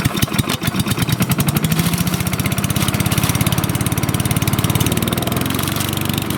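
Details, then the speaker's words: Troy-Bilt CSV 060 chipper shredder vac, Chinese MTD single-cylinder engine, full tank, burns no oil, about 30 degrees outdoors: quick, even popping settling into a steady run after starting, no misses or knocks; normal running. "she's got a full tank of gas doesn't burn a drop of oil this good motor it's a Chinese MTD brand engine"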